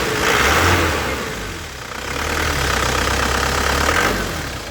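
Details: 2012 Isuzu Panther GT diesel, 120,000 km, cold engine at idle: steady low clatter with no misses or metallic knocks, vibration stable, no oil leaks; engine judged healthy.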